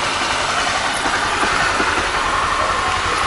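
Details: Honda Titan 160 Start single-cylinder after replacing the destroyed roller rocker arms, valves not yet adjusted: steady idle with only a faint light tick over the hiss, no heavy head clatter; normal idle.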